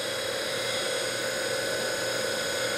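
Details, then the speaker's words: DC motor removed from EV conversion, bench-run on a 12 V battery (dips to 11.8 V under load, back to 12.4 V), about 3,000 rpm: even steady whir, no knocks or grinding; healthy. "spins up nice nice and smooth take the load off it's back up to 12.4 so good battery so that's what she sounds like it's probably 3,000 RPMs for getting close to it sounds real good"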